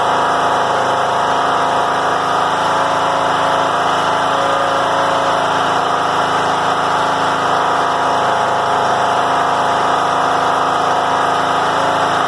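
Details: John Deere L100 rider, Briggs & Stratton Intek 17 hp, before repair: steady even engine note well above normal idle, 2500–5000 rpm; governor ruled out.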